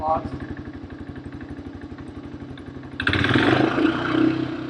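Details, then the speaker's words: 1985 Honda ATC250ES Big Red three-wheeler, single-cylinder, just after an oil change with oil overfilled: even thumping at about four beats a second, then revs up cleanly with no timing chain rattle; motor sounds good. "I don't hear too much engine, like time change noise. Motor sounds good."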